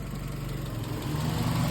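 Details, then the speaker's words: 1998 Honda Civic crank-no-start fixed by repairing the ECU ground wire: an even, low idle throb that rises slightly near the end, with no misses or knocks; normal idle after the repair. "Car running. I just got to tape it up."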